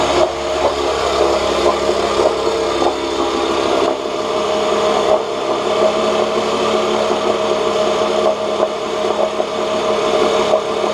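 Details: 1986 Johnson J4BRHCDE 4 hp Seahorse two-stroke outboard, stored for years, previously overheating, test-run in water after cleaning water passages and checking pump: steady even idle buzz, no misses or knocks, cooling water circulating, about 5 minutes in, a little hot; small known carburetor leak; runs well.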